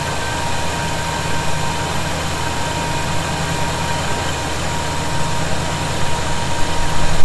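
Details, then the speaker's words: 1971 Chevy C10 after a cold start, with loose fasteners snugged up to cure a suspected vacuum leak: deep, even idle rumble with a steady beat and no whistle or hiss. Idling cleanly. "i'm not hearing it right now that may have been the answer you know i still didn't crank those down really hard they're good i just kind of you know snugged them up a little more"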